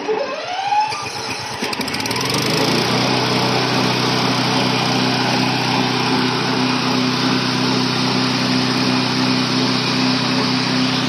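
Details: Remote-control lawn mower small engine, started with switch on, throttle raised, choke pressed and key turned: cranks, catches within two seconds and settles into a steady, even buzz with no stumble. Normal cold start and run.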